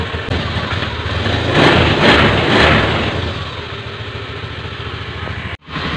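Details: 2016 Honda Scoopy eSP scooter after replacing faulty ignition coil that caused intermittent stumbling: engine picks up on a blip, then settles into smooth even idle with no stutter or hesitation; running properly.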